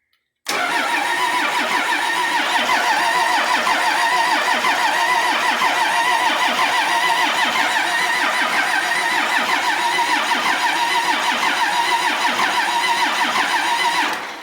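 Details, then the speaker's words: Cummins bus diesel, sat outside nearly 3.5 years, with the back three injector lines cracked to bleed air, cranked in short bursts to let the starter cool: steady churn at about three turns a second for over ten seconds without firing. Air in the fuel lines. "so i'm just gonna do a little bit let it go and then crank it again let it you know let starter cool down"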